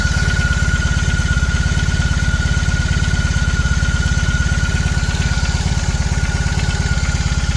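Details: BMW R18 Classic, about 3:30 min after a cold start: steady boxer idle with a fast, fairly even light clatter or knock on the firing beat, louder in person than recorded; source undetermined.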